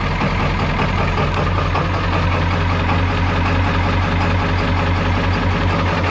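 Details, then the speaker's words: 1995 Ford F-350 XL Powerstroke diesel just after cold start at about 50°F, mileage unknown (380,000–600,000): deep, steady clatter at an even cold idle, no knocks or misses, some blue smoke; runs pretty good, normal. "Runs pretty good. Yep, usually old diesel smoke a little like that."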